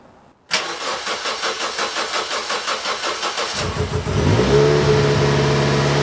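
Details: Toyota Yaris 1.5L 1NZ-FE after fitting Scion xD 2ZR fuel pump, 2ZZ plugs and 1ZZ throttle body spacer: cranks about three seconds, then uneven, lumpy, hunting idle in limp mode; misfires plus TPS code from unseated throttle position sensor plug.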